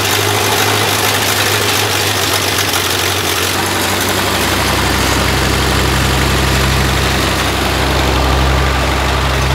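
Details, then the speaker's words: Freshly rebuilt 1932 Ford Model B four-cylinder, very first start: low lumpy idle with uneven chuff and occasional dropped beat; misfire, later addressed with new points, retiming and float adjustment. "the first start was uh you know Growing Pains but uh it had a little chuff to it and it had a bit of a miss so we uh put new points in it retimed it uh set the float a little bit different"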